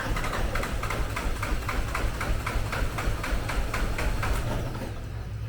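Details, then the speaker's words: 2020 Nissan Qashqai 1.5 dCi K9K diesel, crank no start with no fault codes, no low fuel pressure faults, leak-off kit fitted: starter churns about four beats a second, almost catches but never fires; injectors leaking back excessively. "It almost sounds as if it wants to go. But the strange part about it, it's not getting any low fuel pressure faults. And it'll do this all day long."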